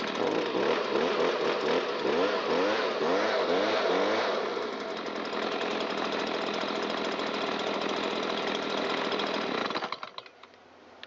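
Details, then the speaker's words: Stihl BG86 commercial handheld blower with probably thousands of runtime hours, after repair for fuel leaking from muffler (new carburetor, fixed fuel tank vent, cleaned spark arrestor): burbles up unevenly clearing fuel from muffler and crankcase, then steady high full-throttle scream, running clean. "took the engine a moment to clear all of that fuel out of the muffler and out of the crankcase, which is why I just held it full throttle and let cylinder head temp come up and let it get cleaned out inside."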